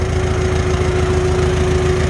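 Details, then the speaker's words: Farmall H tractor during carburetor adjustment, mixture screw three turns out, at idle: steady beat with a thin metallic ting-ting riding above it; cause not pinned down. "i'm happy yep right back to ting ting ting"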